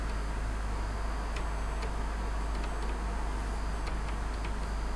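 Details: Optical drive spinning a badly scratched CD after toothpaste polishing and washing. A steady spin hum with scattered sharp ticks as the head keeps seeking: the drive is struggling to read the scratched disc.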